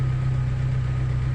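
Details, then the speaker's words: Fiat Tempra idling after the worn, too-thin alternator pulley was replaced with the one from the old original alternator: low, steady idle hum, no belt squeal or chirp; accessory drive quiet and smooth, noise fixed. "e funcionou perfeitamente aí ó tem barulho nenhum silencios silencioso galera só alegria"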